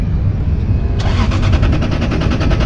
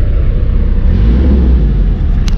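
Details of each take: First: Car off the road for two years, on a jump pack, with no dash lights or radio. The starter churns steadily at about six or seven even beats a second for two seconds and never catches: cranks fine but won't start. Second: 1991 Toyota LiteAce 4x4 Limited, right-hand drive turbo diesel, started after glow plug warm-up; deep even rumble as it revs, smooth with no knocks or rattles, turbo audible, partly buried in wind noise: normal engine revving.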